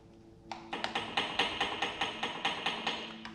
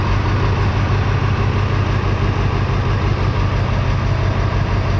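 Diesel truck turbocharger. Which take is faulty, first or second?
first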